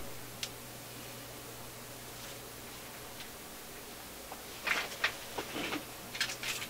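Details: Philips console tube stereo receiver with a steady low hum, then sharp irregular pops and crackles in one channel; swapping tubes moved the popping to the other channel, so a faulty tube causes it, not an IF stage.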